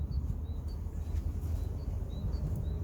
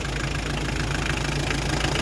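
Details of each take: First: Hyundai Terracan 2.5 diesel D4BH idling with a deep rumble, an uneven knock and bluish smoke; loosening the fourth injector drops it to three cylinders and the knock stops, so that injector is faulty. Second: Hyundai Terracan 2.5 diesel D4BH, started after reassembly to cure an engine knock: steady, even diesel clatter at idle with no knock standing out. The knock is gone and the engine idles smoothly, as before. Normal idle.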